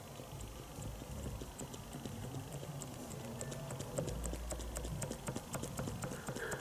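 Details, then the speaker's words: Tapered roller wheel bearing just adjusted before the split pin is fitted, microphone close to the hub: faint light clicks as the hub is rocked, no grinding; normal small free play. "let me bring the camera down close to it and the view won't be very good but i think you'll hear the clicking"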